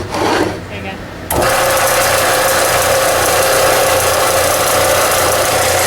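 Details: Harbor Freight belt sander after repair (motor ran but belt didn't move; cleaned machine and very dirty, unseized bearing): brief start-up rustle, then steady, even hum with constant pitch and no knocking or rubbing; sounds healthy.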